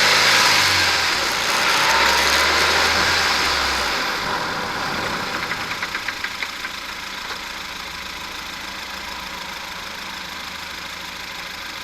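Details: Ford Fiesta under braking: light rapid clicking/knocking, about three a second, over road noise, appearing once the drivetrain is hot after 10 minutes at 50mph+, from a failed offside driveshaft support bearing, later replaced, noise gone.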